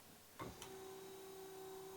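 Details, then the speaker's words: Alfa Romeo 156 with a new replacement wiper motor on its fastest intermittent setting; only the fast speed had worked before. A click, then a short steady whirr of about 1.5 s before it parks; it cycles cleanly and normally. "Par intermittence, c'est bon. Donc ça, c'est la vitesse la plus rapide de l'intermittence."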